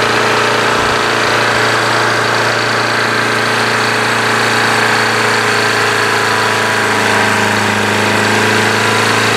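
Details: Craftsman push mower with Briggs & Stratton Quantum engine after winter storage, primed and started. Smooth, even single-cylinder drone at constant speed with no surging or misses; governor holding correct rpm.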